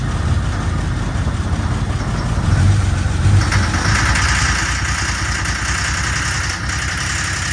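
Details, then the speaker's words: 1987 Jeep Comanche after long sitting, running on ether while shifted into drive and reverse: rough, uneven running with a loose knock as the ether runs out; owner attributes it to fuel starvation and thinks the engine is fine. "funny yes it started knocking that's fuel off from it not getting enough fuel so I think the engine's fine"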